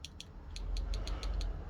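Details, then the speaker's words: Xbox Series X controller opened up, after disconnecting a cable that caused buzzing: low, steady buzz of the small rumble motor with a few handling clicks; spins evenly, working normally. "let me just plug it in you're gonna see the small motor vibrate and it's just going to work and you can see right there"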